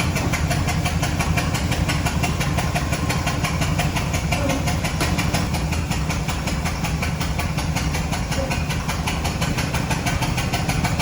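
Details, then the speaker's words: Ford 6.8 V10 with number five spark plug blown out of the head, coil pack broken, after a loud bang: rough idle with a sharp, rapid puffing chuff over the engine. "you guys will get to have a listen to this thing makes all kinds of Racket puff puff puff puff but we'll get her pulled in the shop"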